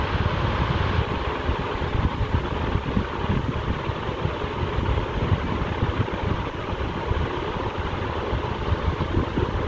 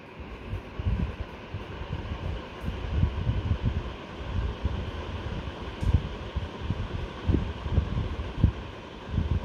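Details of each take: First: Black ceiling fan, new model, at full speed: steady rushing wash of air with a faint soft flutter from the blades; blade flutter, motor itself quiet. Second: Superfan Q Series 5-foot (1500 mm) BLDC ceiling fan, sound test in a near-silent room on low speed; soft, steady low whoosh of moving air with no ticking, rubbing or wobble, running quietly and smoothly.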